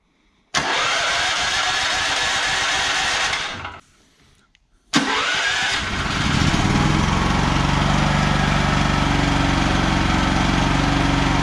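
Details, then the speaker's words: ETQ TG72K12 portable generator, about 14-15 years old, after new starter solenoid, battery reinstalled and oil change: starter cranks about three seconds, pauses, engine catches quickly and settles into steady even run; fixed, normal start. "nice okay okay she's uh fixed ready to uh get back in Action"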